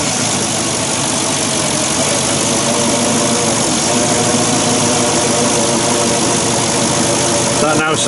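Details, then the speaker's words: Porsche Cayenne Turbo 955 engine idling after a boost leak was repaired with silicon hoses and a tee: even, steady idle with a smooth hum, no hissing or ticking; sounds a lot better, normal idle. "a lot better than it did some lovely grand"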